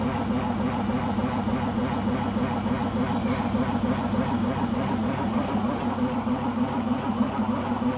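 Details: Beko washing machine during the spin cycle: a loud, steady roar with a low hum that never eases; the owner suspects the rubber behind the drum, cause unconfirmed.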